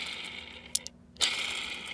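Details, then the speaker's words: Old Harbor Freight air die grinder, about 15 years of use and missing its top cap: high-pitched whine with rough rattly edge from shot bearings. "bearings are shot but that's the toughest die grinder i've ever seen"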